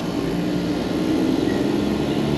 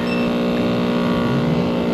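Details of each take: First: Packaged three-phase AC unit after correcting the reversed phase order: steady, even drone with low hum and fan rush, no knocking; scroll compressor now pumping normally, pressures dropping, suction 58. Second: Packaged three-phase AC unit whose compressor had been found overheated with open windings: loud, rough droning hum with a harsh edge and no pumping, pressures roughly equal; the scroll compressor runs in reverse from miswired phases.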